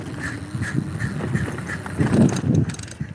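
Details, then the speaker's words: Bike wheeled along by hand: uneven scraping grind repeating each wheel turn from the rear wheel; owner suspects the brake but it looks fine, cause not found. "Did you hear that? Sounds like something with the brake. That's what I keep thinking, but it looks fine. So, yeah, it's definitely the back tire this time."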